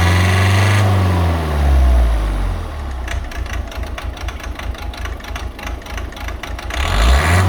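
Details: Volvo C30 1.6 diesel with Siemens injectors: rough, uneven clatter of light knocks over the low idle drone; bad injectors.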